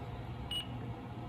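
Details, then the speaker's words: E-Flite Timber X RC plane with AR631 receiver, powered on, motor at 50%, ESC reporting about 15.06 volts: one short high beep over low background hum is the transmitter's battery voltage alarm; low battery voltage warning. "There's my battery alarm. Okay. ESC 15.0. 6 volts."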